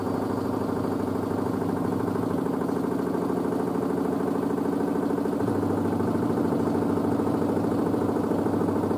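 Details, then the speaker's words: New washer dryer's spin after the pre-wash, possibly about 600 rpm, then slowing down quickly: an even, smooth hum with a steady drum rhythm and no knocking or scraping. Little movement, though the owner thinks the shock absorbers may eventually need replacing. Normal spin cycle. "i love how quickly they slow down how they sound"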